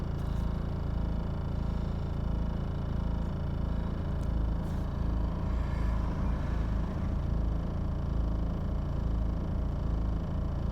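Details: 2000 BMW E46 320d 136 hp diesel with slow start: lumpy, uneven idle with low irregular thump; new injectors, new Bosch VP44 pump (after it failed on the road), glow plugs, filters and oil haven't fixed it, cause unknown.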